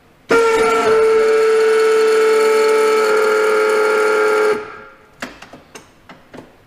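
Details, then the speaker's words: Boss V-plow hydraulic pump motor: loud, steady, high-pitched howl for about four seconds then cuts off with clicks; intermittent, worse when cold, owner suspects bearing chatter, cause unknown. "that god-awful racket what is that I haven't been able to fix it does it more so it's cold it almost sounds like a bearing chatter or something doesn't always do it"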